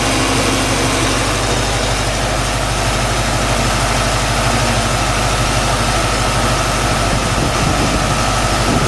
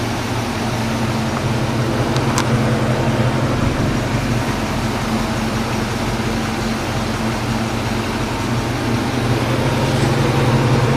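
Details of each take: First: 1995 Mustang Cobra at idle with A/C on: steady low drone, fan hiss, no knock; suspected bearing-like knock likely from A/C compressor with clutch disengaged, disappears when A/C engaged. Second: 1995 Mustang Cobra with a faint, irregular knock under a steady idle and fan hum, roughly three a second. First thought to be a bearing noise; the owner suspects the A/C compressor with its clutch disengaged, since the noise seems to disappear with A/C on.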